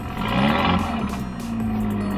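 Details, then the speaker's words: 1.8T petrol engine just after installing Audi R8 red top coil packs, previously misfiring every few months: engine note swells and settles smoothly with no stumble; runs beautifully, sounds healthier than before. "one two three runs beautifully sounds maybe a little bit healthier than it used to"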